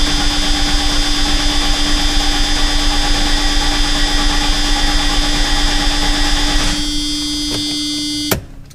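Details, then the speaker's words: 1990 Mercedes-Benz 300E sedan that sat unused for years: steady, fast cranking with a constant whirring starter tone for about seven seconds, never fires; no fuel coming from the fuel pressure regulator outlet. Fuel pumps and fuel filter later replaced. "I messed with it for a while, and I couldn't get fuel from the outlet on the fuel pressure regulator here, which you're supposed to have."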